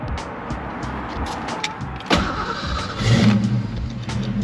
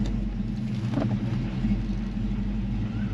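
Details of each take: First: 1990 Ford Mustang 5.0 Fox body, sitting 12 years, radiator leaking: engine catches and settles into low idle wavering slightly, improving little by little; owner suspects fuel injection cleaner is helping; rough idle smoothing out. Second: 1990 Ford Mustang 5.0 V8 Fox Body, sat 12 years, after cleaning and reinstalling the spark plugs: steady low rumble with even firing and no misses or knocks; smooth, healthy idle.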